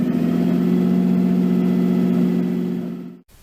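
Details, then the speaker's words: Nissan 240SX S13 with swapped RB20DET, first run after over a year sitting, once wiring power was restored and the crank angle sensor reinstalled: steady, fast, smooth hum well above normal idle, no dips or misses, before cutting off. Idle is way too high with idle and AFR still unset. "I finally got the thing to run it started it ran the Idol is hooked too high obviously but at least now have a driving car"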